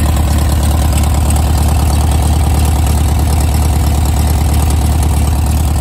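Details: 1970s Gazelle kit car (1929 Mercedes SSK replica) on VW Bug chassis, barn find sitting for years, first start after oil check with points not cleaned: steady low chuff about two beats per second, no knocks or misses; normal idle.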